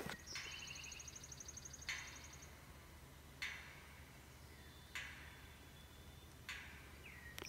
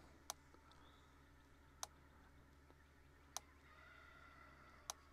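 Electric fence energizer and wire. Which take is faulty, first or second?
first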